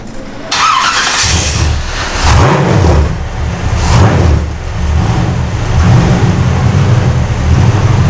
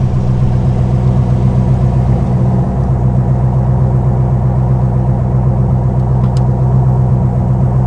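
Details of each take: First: Custom 1956 Studebaker Sky Hawk started after a transmission swap, choke open, needing extra fuel, tank holding old gas and cleaner. Loud, uneven, surging beat with wavering speed. Rough running. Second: Custom 1956 Studebaker Sky Hawk V8 with a mild roller cam, after a built-transmission and higher-stall-converter swap, revved: a deep, even, docile rumble with no knocks or rattles; a normal V8 exhaust note.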